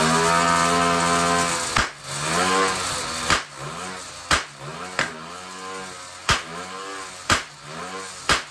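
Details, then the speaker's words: 66cc (also called 60cc) bicycle-kit two-stroke on hydrogen, hydrogen carburetor at 3 PSI, standard timing: sharp loud pops about once a second break up the buzz and drop the revs, backfiring out the carburetor, worst when decelerating; timing needs retarding, owner suspects poor ring seal. "whoa now that was pretty awesome a lot of backfiring going on out the carburetor it's obviously not got a good good seal around the piston rings and the combustion chamber of all the hydrogen mixed into the crankcase there but it always backfired when I de-accelerated"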